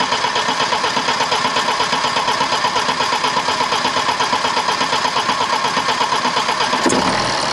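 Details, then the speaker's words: BMW 123d N47 four-cylinder diesel after injector seal and valve cover gasket replacement, fuel primed, fired after six or seven crank attempts. Fast, even clatter at cranking speed, then the engine catches and settles: normal diesel start. "as you can see she's running and she's running all right it's running as well as i would expect a uh you know a four banger diesel to uh to run anyway"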